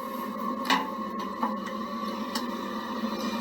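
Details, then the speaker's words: Water heater after main power is switched back on, with water and gas shut off before the vinegar heat-exchanger flush: quiet hum with soft irregular clicks, no burner roar; it tries to light but cannot. "You'll hear it trying to start up, but it won't be able to. There's no water going to it, and the gas is off."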